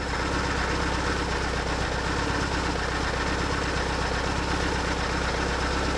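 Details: 2004 BMW R1150R boxer, 22,711 miles, after refitting pulled-out injector connectors: steady idle, even pulses about four per second, firing on both sides, no stumble.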